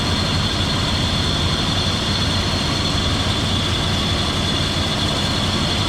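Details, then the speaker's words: 2002 Dodge Durango R/T after water pump replacement, running to check for leaks: steady high whine over loud even idle, no pitch change; worn A/C compressor clutch bearing, to be bypassed with shorter belt. "so currently uh you can hear the bearing making a lot of noise but it's just so we can check for leaks and then we're going to get a shorter belt and bypass here"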